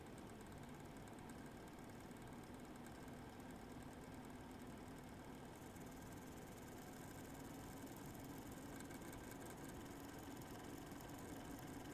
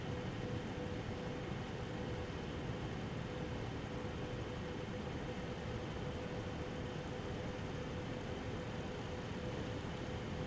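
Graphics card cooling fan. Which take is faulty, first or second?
first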